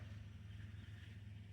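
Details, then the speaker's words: 2006 Dodge Grand Caravan 3.8 V6 after replacing an ignition coil: low, steady, even idle rumble with no stumbles or skipped beats, smooth as glass, no misfire; normal idle. "Look at that. Smooth as glass."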